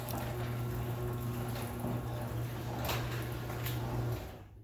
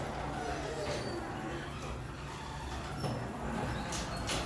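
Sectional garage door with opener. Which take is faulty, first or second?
second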